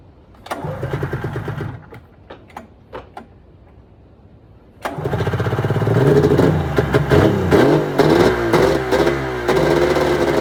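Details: 1996 Arctic Cat ZRT 600 two-stroke snowmobile after fuel pump rebuild (Vertex kit), tank primed again: a few pulls, then it catches, idles with crisp even beat and revs cleanly; air bubbles in lines for a while, holding good, normal start and idle.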